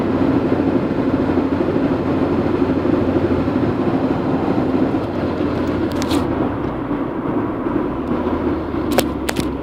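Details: Honda Integra DC2 while driving: rough rhythmic thumping about two beats a second under road rumble; caused by worn half shaft combined with aftermarket driveshaft, cured by fitting second-hand factory parts.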